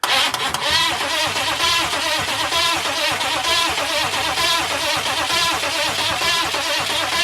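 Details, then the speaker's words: 6.5 turbo diesel Suburban with newly installed starter: starter spins the engine in a steady, even rhythm but it never fires; cranking with no start, consistent with no fuel reaching the injection pump. "okay we know she's cranking now so that's a check we can call that a check"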